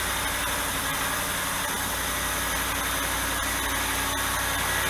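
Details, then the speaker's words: Dodge Dakota V8 cold start after removing the fan clutch: steady even idle with smooth hum, no fan roar; noise settles within a minute; normal cold idle. "지금 핸클러치를 제거한 상태니까 앞에서 들어본 핸클러치 달린 상태의 소리하고 지금 엔진 소리하고 비교해 보시면 확연한 차이가 난다는 걸 알 수 있고, 그 차이점은 핸클러치 소음입니다."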